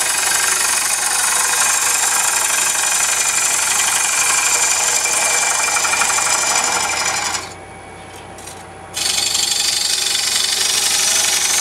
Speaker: did you hear that banging I was beating the bevel right through here I wasn't cutting enough edge